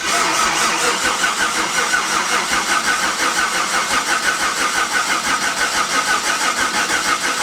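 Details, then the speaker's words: Engine cranked over before any fuel is supplied, on a first start attempt: an even, steady starter churn about three turns a second with no catches or odd noises. Normal cranking, no firing. "i think what i'm going to do before we try and start is just crank it over and see how it sounds before before putting fuel to it yeah"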